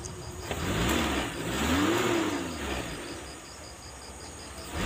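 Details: Espass that was backfiring and lacking power, after ignition distributor adjustment for the smoothest idle: engine revs up and settles to a steady, even idle with no stumbling or popping.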